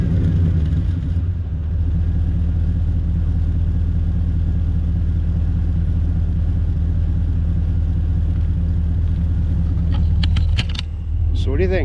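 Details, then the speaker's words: Truck after new exhaust work: deep, even steady rumble with no harsh drone or booming, much better than the earlier door-slamming sound at about 2500 rpm under load; normal exhaust note. "too bad right I think it's much better than it was"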